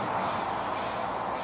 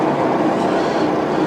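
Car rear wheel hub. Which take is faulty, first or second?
second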